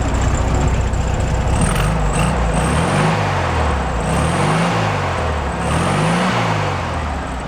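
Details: 1967 VW Bug air-cooled flat-four after oil-leak repair with engine gasket set and belt re-tensioned: even, busy chatter with a few gentle speed rises, no knocking, squeal or ticking; sounds good and quiet; normal idle.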